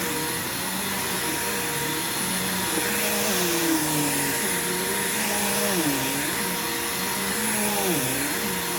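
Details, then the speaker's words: Bissell upright vacuum, belt replaced a few months earlier and unused since: steady motor whine with a smooth even brush roll, no slapping or squeal; belt aged best of the group, agitation good, running properly. "pretty good so far this is the best belt that's aged out of all of these which is pretty impressive"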